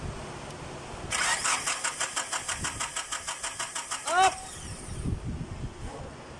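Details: Nissan Datsun crank no start: starter cranks evenly at about five turns a second and never catches. There is no spark at the plug; the distributor's small socket was found broken and fixed.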